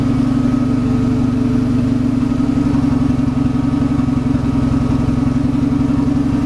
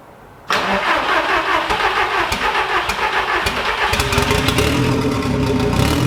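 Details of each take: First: VW Golf Mk1 4Motion AWD engine running again, ECU and fuel pump powered via kill switches: steady high idle, smooth and even firm low hum with no knocks or misses, healthy. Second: VW Golf Mk1 4Motion AWD turbo project, engine running again: fires and settles into busy idle with sharp ticking puff over it; owner finds exhaust leaking at manifold-to-turbo gasket, suspects one of three bolts, re-tightens it.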